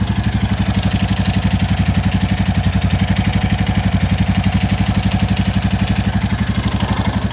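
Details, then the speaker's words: 2022 Royal Enfield Classic 350, stolen and recovered, at idle: a top-end tick plus a sharp chuff-tick about three times a second that mimics a bottom-end knock but disappears when the exhaust joint is wrapped in foam; exhaust joint leak. "I found out I think it's just a blow from this exhaust joint cuz if I wrap this up I can get rid of the bottom end one so that's just a blow from the exhaust"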